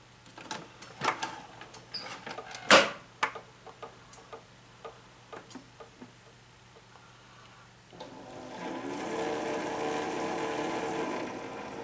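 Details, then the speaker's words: Classic Keurig K60/K65 after cleaning nozzle and pump blockage, heater drawing about 1200–1300 W; clicks then steady even pump hum with water hiss refilling the internal hot water reservoir — normal brewing, fixed. "so so what just happened there after it filled the cup was you heard the pump running to refill the hot water reservoir inside the unit"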